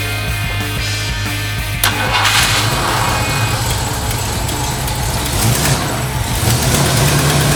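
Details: 1968 Ford Mustang after jumping 12 volts to coil fixed bad-voltage no-start: catches and settles into steady even idle with smooth throttle blips, no misfire; faint noise from loose belt.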